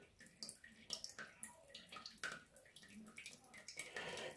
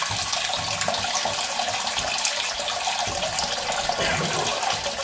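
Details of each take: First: 10-year-old Ideal Standard toilet, second dirtier unit, before repair: thin steady trickle and splash as the inlet valve keeps dribbling water into the cistern instead of shutting off, caused by a little rubber flange inside the valve. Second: 10-year-old Ideal Standard toilet after refitting an inlet valve part, which clicks into place: steady hissing rush of water with no hammering or squeal as the cistern refills; fill valve working normally.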